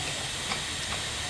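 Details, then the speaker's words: Injector pressure regulator (IPR) valve bench test with shop air and 13.8 V applied to the solenoid: steady air hiss with faint ticks, flow never changing when powered; owner suspects a bad IPR valve. "now you'll note that there's absolutely no change with this air here so my assumption is that I have got a bad I PR valve"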